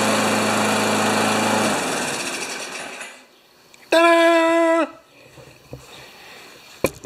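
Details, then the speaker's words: Brute mower with Briggs Classic engine after coil replacement fixing intermittent start, tune-up, about 3,260-3,270 rpm: steady even buzz for a couple seconds then winds down cleanly, no miss or surge; normal running. "That's a perfect RPMs for an engine that does not have that many hours on it."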